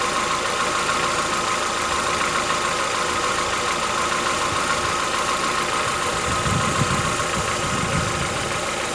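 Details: Chevrolet Onix 1.4 (2014-15), cold start; steady light, fairly fast, slightly irregular ticking at idle, persisting about 10 minutes as it warms, worsening yearly since new. Owner says it is inside the engine, not injectors, suspects lifter knock; dealers call it characteristic.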